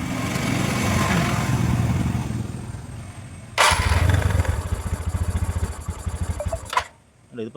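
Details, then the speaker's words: TVS Ntorq 125 BS4 scooter, hard morning cold start: the auto choke plunger doesn't rise on self-start, so the choke is held open manually. The starter whirs for seconds before the engine catches, runs unevenly and dies; auto choke not working. "Work ചെയ്യുന്നില്ല ഇതിപ്പോ chalk ഇങ്ങനെ തുറന്നു വെച്ചേക്കൊണ്ടാണ് start ആയത്."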